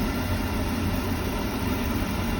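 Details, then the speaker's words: Beckett oil burner after fitting a new motor, with the bad start capacitor being the real culprit: the blower runs and turns the oil pump, giving a steady low roar with an even hum and no surging, so the burner is firing normally. "you hear the blower motor hear the blower running and it's turning the oil pump"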